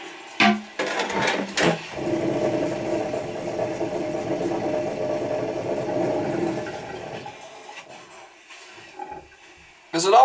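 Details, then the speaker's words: Toilet tank finishing filling: steady buzzing hum for about five seconds, fading as it shuts off; vibration noise at shut-off that the plumber thinks comes from the fill valve, which he plans to replace. "that noise when it shuts off that vibration noise alright I could probably just change the fill valve I think that's what the problem is"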